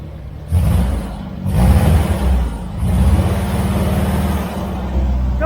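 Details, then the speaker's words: 1970s Turner Ranger tractor, 1098cc A-series engine, after cleaning dirty plugs and swapping leads following backfiring: a low, steady four-cylinder chug with occasional hitches. Now running on all four, slightly stuttery but much improved. "little stuttery but a lot better than it was"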